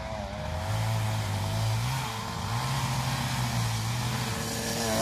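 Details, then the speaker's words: Small two-stroke scooter running a bit cold after ignition troubles: buzzes and wanders in pitch, revs surging and sagging unevenly; the rear wheel also sometimes rubs the swingarm, affecting the variator; rough running when cold. "donc là comme tu peux le constater sa ratatouille un peu donc elle est un peu froide"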